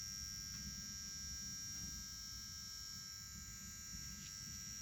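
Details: Petrol engine that had been misfiring, now idling evenly with a steady low rumble and no stumbling, under a loud constant high whistle, after one injector was replaced.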